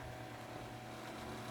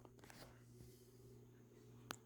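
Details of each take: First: Galaxy (Lasko) 9-inch oscillating desk fan model 2154, 1990s, on high: steady low hum with a busy, buzzy rattle over the top; owner suspects a loose cage, not confirmed. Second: Galaxy (Lasko) 9-inch oscillating desk fan, model 2154, around 1993, on low speed: quiet, steady low hum with a faint even whir and no ticking or rubbing; fan running smoothly.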